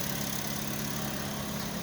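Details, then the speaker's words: Toyota Vios petrol engine after sitting 3 months with lost compression, started after oil poured into cylinders through spark plug holes; exhaust smoking from the oil; steady even low idle, no knocks or misses; normal idle. "okay start Ayan na lalagyan lang ng langis umandar na kasi haan lang natin umusok"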